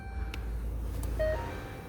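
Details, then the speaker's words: 2012 Ford New Fiesta, glovebox removed: sharp plastic clicks over a low engine hum from the passenger-side HVAC fresh/recirculation air door actuator motor at end of travel, suspected broken gear. "Ele fica dando aquele barulho chato aqui ó no final de cursa então responsável por esse barulho é esse motorzinho aqui ó"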